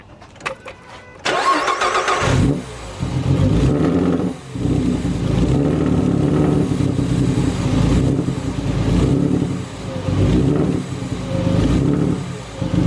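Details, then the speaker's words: Ford Mustang 3.7 V6 with a newly fitted supercharger and intercooler, first start and revs: loud, jet-like roaring whine rising with throttle, then idles nicely; belt contact is suspected and a longer belt is being considered. "i don't know if we had fans or not but we're gonna we'll deal with that sounds like a damn airplane about to take off booster the moon that was sick"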